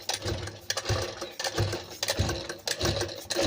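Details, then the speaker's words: Sewing machine run at speed: dry rattly metallic clacking in bursts about every half second, quieter when slow; noise from lack of oil, needle touching the shuttle also possible. "तो आपको समझ लेना है कि इसमें machine के यल की वजह से यह मशीन आवाज कर रही है"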